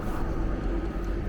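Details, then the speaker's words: Vevor diesel air heater in a Fiat Ducato van, closed up and left to run: smooth even low hum, steady fan-like rush, no stutter or surging, heating well at full output; normal running. "Je vais le laisser un petit peu voir ce que ça donne. Lui donc qui chauffe à merveille."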